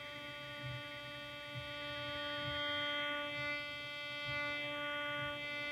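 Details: Steady buzzy hum with stacked whistling tones and a faint slow throb: switching power supply RF interference from a computer monitor, received on an indoor LF/MF loop antenna with an AirSpy Discovery, no preamp, loop peaked on the noise.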